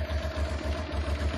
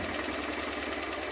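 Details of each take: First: Honda Transalp (around 1996) carbureted engine: low lumpy idle with uneven, loping beats and hunting, gauge unstable; rough idle from incorrectly set air-fuel pilot mixture screws. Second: Honda Transalp V-twin, probably a 1996, after adjusting both carburetors' air-fuel mixture screws about one turn out to cure unstable rough idle: steady even idle at 1100-1200 rpm, no stumbles or hunting; normal idle.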